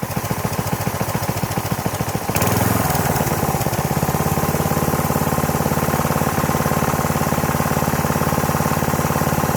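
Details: Troy-Bilt pressure washer, unused about 4.5 years, fuel system cleaned. First start after the choke was knocked off: it catches into a fast, fairly steady single-cylinder beat that runs well, with an occasional faint stumble. Slight misfire.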